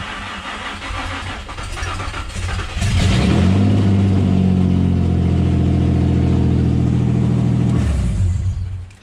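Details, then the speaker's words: Manual-swapped G35, first start after the BCM and RFID swap. Short crank, clean catch, then a firm steady idle until shut off. Normal start and idle. "okay okay um it started oh god i'm so excited i'm so happy that worked"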